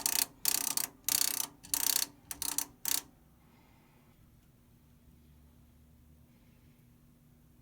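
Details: Navien CR-A 240 tankless water heater installed 2010, drained with filters cleaned: sharp loud clicks in uneven bursts about three seconds, apparently from inlet flow adapter/flow adjustment valve pipe; louder on recording than in person. Cause suspected, not confirmed.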